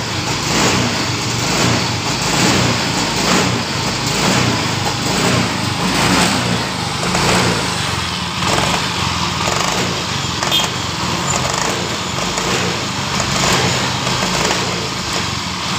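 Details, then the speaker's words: Yamaha Mio Fino scooter, hot after long riding (normal when cold): engine stumbles with each throttle pull, about once a second, never revving cleanly, with vibration at the rear pulley; hesitation persists whether fuel level is high or low. "Motor ini ada suara jeda di bagian gasnya ketika kita menariknya,"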